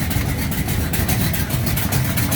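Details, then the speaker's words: 1969 Charger V8 on cold start after fixing the exhaust leak with doubled gaskets, nearly tuned; steady, even, lumpy idle rumble with no ticking or puffing from the exhaust; sounds healthy. "Fixing to cold start big and worked on its exhaust leak. That's its cold start. It's just about tuned and"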